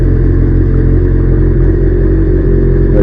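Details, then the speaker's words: Kawasaki GPZ750 four-cylinder, sat five years and running on three or fewer cylinders, after carbon-gummed spark plugs were replaced: revs up cleanly and evenly, steady note, no misses or knocking; smooth revving. "Oh yeah, that sounds nice and smooth. Very little noise coming from the engine itself. There's no knocking."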